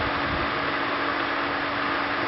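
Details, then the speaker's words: Pressure pump running after an EcoSAT solenoid valve opens and line pressure drops: steady even motor hum with constant rushing hiss of water flowing from the hose back into the tank, no surging or rattles; normal operation. "And now you can hear it's running. So the pressure in the line has dropped, and the pressure pump is flowing water."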